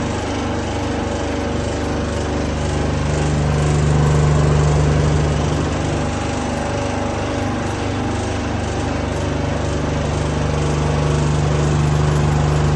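Loud steady fan roar with a low drone and a regular throb about three or four times a second; abnormal running, cause unclear.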